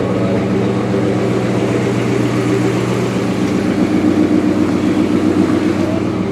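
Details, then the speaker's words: 1998 Jeep Grand Cherokee Laredo after fuel tank replacement, running on its own fuel: steady, even hum settling into a smooth run with no clatter or knocking, no big smoke; healthy. "so it's running under its own power on its own fuel well that's a serious bonus i don't hear the motor clattering that's also a bonus"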